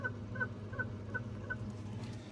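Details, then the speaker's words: Lexus LS430: short, high-pitched rhythmic chirps about three a second from the engine front; water pump suspected bad, replacement spins freer. "And then number four, I think I found the squeaking gun. I don't know if you can hear that."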